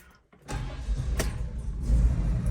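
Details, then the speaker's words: Daily-driven older van, right after a turn signal switch repair done by pulling the steering wheel: quick catch and smooth, even low idle with no misses or knocks; a healthy start. "purrs like a kitten, turns right off."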